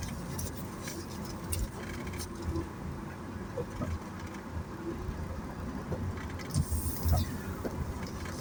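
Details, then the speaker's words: Honda Mobilio driven over uneven road after front brake service and new HEIKER stabilizer link replacement: steady tyre and road rumble, no knocks, clunks or rattles; earlier occasional odd noises from underneath on bad roads now much improved, suspension quiet. "Baik, di jalan yang kurang rata suara dari bawah ya yang semula ada bunyi, ada bunyi-bunyi aneh ya meskipun kemarin itu belum begitu sering timbul atau muncul baru beberapa ketika lewat jalan yang kurang baik tapi alhamdulillah ini sudah jauh lebih baik ya senyap"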